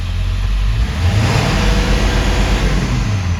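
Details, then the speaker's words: 2000 Ford Excursion 7.3L Powerstroke diesel with low power, won't exceed 40 km/h; revving with air filter installed: deep surging uneven revs stumbling under throttle, hesitation; restricted air filter suspected, not confirmed. "but uh looking at this filter problem so this is with the filter installed [Music] and there seems to be some hesitation too"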